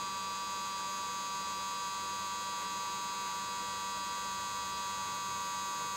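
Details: Xtreamer media player, 3 months after purchase, fan set to Manual 60: steady harsh high buzzing whir, like grinding, at startup, returning to normal once the main menu displays.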